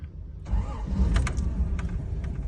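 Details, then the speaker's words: 1983 Toyota Land Cruiser, just bought, short crank then catches at once and settles into an even, deep rumble; clean healthy start, though the oil pressure gauge doesn't work and fuel reads empty. "love the way it starts though."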